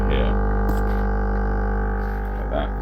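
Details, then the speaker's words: Brand-new Lavazza Tiny espresso machine, day old. Loud, steady low hum with buzzing edge throughout every brew, cork mat didn't dampen it. Pump drone far louder than expected; owner suspects a fault, cause unknown. "I thought it was, when I first used it, to clean the machine to prime it. I thought it was because of that, but no, it makes that every time it makes a coffee. It makes this noise, which, as I said, is unacceptabl"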